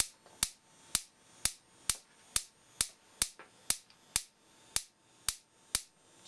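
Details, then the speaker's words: Simplex 35mm cinema projector xenon lamp ignitor after adjusting the spark gap: thin snaps about twice a second across the gap with no lamp strike. Output voltage is too low for the 30 kV (about 3 cm spark) needed, and a wire had fallen out of its IDC contact. "not getting much voltage out of it though poor assembly on this thing the wire just fell out of the IDC contact"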